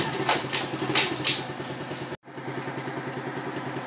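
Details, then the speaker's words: Dafra Zig 50 cc, engine cold, putters along at an even, unhurried idle, neither racing nor stumbling; very quiet, a normal healthy idle. "Tá aí, ó, motor silenciosíssimo, tá? Uma lentazinha padrão, tá? Não tá nem acelerada, nem lenta demais."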